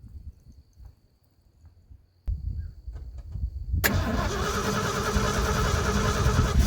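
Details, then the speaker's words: 1980 ramp truck, 351M V8, sitting ~25 years, after hooking up fuel pump, with choke: short crank, catches and settles into a steady, even idle that grows slightly stronger; sounds pretty good. "Okay, sounds pretty good. I couldn't tell what was going on from in there, so I'm trying to start from out here."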